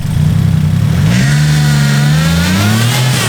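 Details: Skyline engine after refitted coil packs: it catches cleanly and revs up and back smoothly, pitch rising evenly with no stumble or skip; it runs on all cylinders, so the fault was likely just the plugs.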